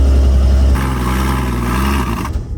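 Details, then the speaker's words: 1964 Dodge D100 truck, sitting since 1996, fed gas poured down the carburetor, accelerator pump not working: deep rough rumble catches about two seconds, then sags and dies; runs only briefly on poured fuel. "We've tried pouring gas down that carburetor again and again, and this is one of the worst ones that we've seen that still runs."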